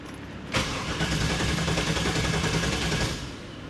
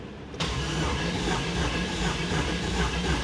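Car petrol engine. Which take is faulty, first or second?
first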